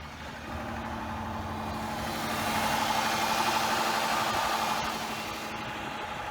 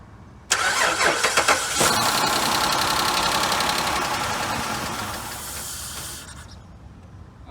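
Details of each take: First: Dodge Charger after a new fuel pump install that initially didn't work, fixed by correcting swapped pump power and fuel-level wires: engine settles into a steady, even idle with a smooth mid-pitched hum, no misses or knocks; healthy. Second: Dodge Charger with a newly installed fuel pump that doesn't work: fast, steady cranking for about six seconds without firing. Fuel pump problem suspected. Crank no start.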